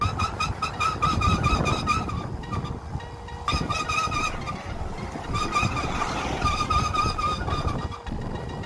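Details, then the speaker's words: Royal Enfield Bullet Standard 350 on a long ride. Steady high squeal over the single's thumping exhaust, coming and going while rolling: rear drum brake too tight and dragging; fix is to loosen the rear drum brake. "Long ride के दौरान अगर आपके bullet में rare drum brake से इस तरीके की आवाज आ रही"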